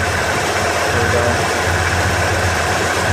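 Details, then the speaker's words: 1988 Ford F250 5.8L 351 V8, sat dead two years, running on injector cleaner: uneven, lumpy idle, stumbling; clogged fuel injectors suspected, rodent-chewed wire possible. "set 25 boy she's a rough Runner I hope this stuff clears it up"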